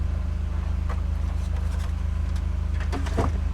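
Small single engine drones at a steady, even low beat with no misses or knocks; the compressor motor is running normally.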